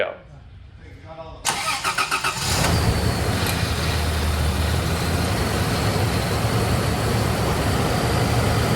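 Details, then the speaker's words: Cold start after a night camping: brand-new zero-mile Toyota 1FZ-FE engine with freshly remanufactured transmission and new OEM exhaust; starter cranks briefly, catches cleanly, settles to steady even fast idle, no knocks or misses; healthy. "Joe took me out for a spin, keeping an eye on the scan tools. That's Joe Risavi, by the way. Everything looks good, sounds good."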